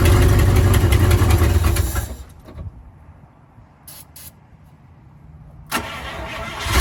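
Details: 1955 Buick Roadmaster V8, revived after sitting 20+ years and fed from a fuel jug: steady even rumble, goes quiet, then fires back up and settles into a smooth idle; running normally.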